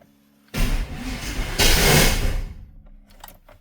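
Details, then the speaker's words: GMT400 OBS Chevy truck, first start after long storage: a ragged, lumpy two-second crank with uneven popping that never catches cleanly; spark plug wires were off one position on the distributor cap. "Well, that didn't sound good. I might need to check my wires. Yeah. All right, I think I had the spark plug wires off one position on the distributor cap."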